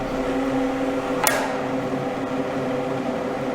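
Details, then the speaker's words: Koch stretch-ceiling grille fitted over a ventilation outlet on a home-made test stand with an inexpensive fan: smooth steady whoosh with a low motor hum, no whistling or buzzing; the grille slightly muffles the motor. Normal airflow. "я слышу что при установке решетки дополнительных звуков не добавляется ничего не свистит не будет не жужит решетка наоборот даже слегка приглушает именно звук мотора от работы моторчика"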